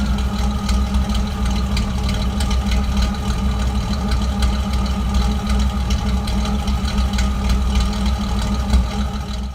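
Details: Low idle with an uneven, stumbling beat and no steady rhythm, a misfire of unpinned cause. Disconnecting and reconnecting the MAF sensor makes no difference.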